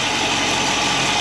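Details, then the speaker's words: 1955 Chevy wagon with Griffin radiator and electric dual fans, first start of the day; fires right up into a steady, smooth idle with even low rumble and no knocks or ticks; normal idle. "yeah let's see if it fires up here [Music] Fire's right up now sounds good"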